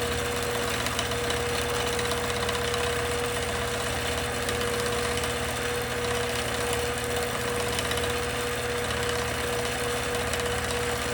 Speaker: And you can hear that the machine sounds different. With the stitch regulator off, you're not hearing that constant sort of revving up, slowing down, because that's regulating the stitch size.